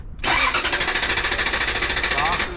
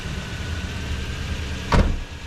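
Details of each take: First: Toyota Tundra with fuel pump circuit, fuel pump relay and P1200 codes and a blown EFI 2 fuse: the starter churns for a couple of seconds but the engine never catches, with no fuel pressure on the gauge; crank, no start. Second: Toyota Tundra after the fuel pump was replaced and the blown main EFI fuse from a wrong jump-start fixed: starts right up with plenty of fuel pressure, steady even idle with one brief clunk; running normally.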